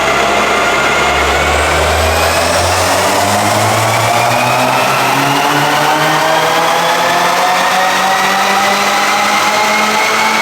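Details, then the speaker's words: 2019 Subaru WRX FA20DIT turbo on the dyno under full load after a new spark plug, coil change and intake harness fixes: smooth, even sweep up through the revs with no stumbling; it previously broke up around 15–16 psi. "car here on the dyno and we're finally able to do back to back clean pulls"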